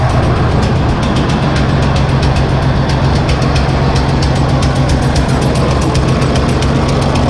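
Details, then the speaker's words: John Deere 8320T tractor, 8.1 L diesel, idling with the valve cover off: sharp regular ticking, two or three a second, over a rough idle; a backed-off rocker is found, pushrod looks straight, and the valves are to be adjusted. "okay now I definitely see it just catch that first time yeah this locker that's backed off is it bent the push rod or anything"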